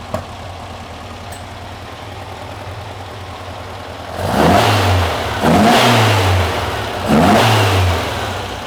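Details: Porsche 912 flat-four, stored over ten years, running after its cooling fan was repaired and adjusted and slightly warmed. Smooth idle, then three clean even blips with no knocks or misses; healthy engine.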